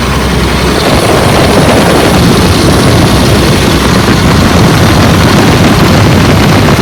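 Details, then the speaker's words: 2004 Blue Bird All American 72-passenger school bus with automatic, running about an hour, not overheating: loud steady drone held at raised unchanging speed; stuck on high idle until brake touched. "The motor sounds like it's on a fast idle. It's been like that for almost an hour."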